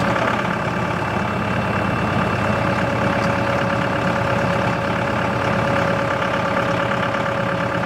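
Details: CountyLine post hole digger on a tractor PTO, first use with the 6-inch auger in very hard clay. Steady diesel drone under load with a faint constant drive whine, no knocks or grinding. Healthy, though clay clumps fall back into the hole.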